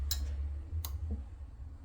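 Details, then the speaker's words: Coleman Hot Water on Demand heater with no water connected, two-flash no-water code: sharp isolated clicks about every second over a low hum, ignition sparks only 3 seconds then stops because the flow sensor senses no water (8 seconds with water). "And you can hear the click when there is no water. It's only a 3-second click ignition."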